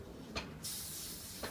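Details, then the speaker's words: Coleman camp stove, turned off and flame blown out. After a couple of clicks, the tank pressure is released and a steady, soft, high hiss of air flows back into the tank; normal pressure release, stove fully dead. "hear that that's air going back into the tank now the thing is completely dead"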